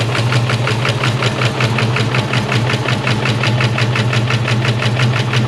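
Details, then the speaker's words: SVT Cobra V8 that had sat unused (previous owner reported a cooling issue), first start: lumpy idle with sharp clatter, sounds like a fat cam; suspected dead miss, very loud valvetrain, diesel-like; rough running. "Sound like a fat cam. Just sounds like it's got a It's either got a dead miss or I mean, and the valve train is loud as [ __ ] Sounds like a goddamn diesel."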